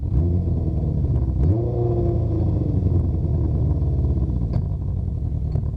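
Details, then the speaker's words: Honda CB500/550, warmed up after a cold start, carbureted: steady low idle, a quick throttle blip, then revs sink slowly over about a second; idle hangs up, less so with idle screw lowered but then idles too low. Cause unconfirmed. "well it's not hanging maybe that's the sweet spot it's not hanging as bad right there but uh still hanging like you can watch my hand"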